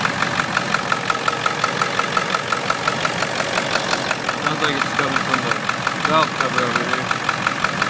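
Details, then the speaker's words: Ford 7.3 Power Stroke diesel on a moderately cold start, heard at the passenger side: steady idle with a light, sharp tick near two per second that comes and goes. Intermittent knock, cause not confirmed. "7.3 liter Power Stroke. Some weird noises. This is the passenger side."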